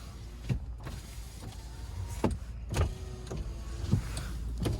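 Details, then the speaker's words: 2016 Mitsubishi Outlander Sport from auction, cabin: several short power window motor whirs stopping and starting cleanly, each pass smooth and even; window motors working normally. "Nice, everything's working so far."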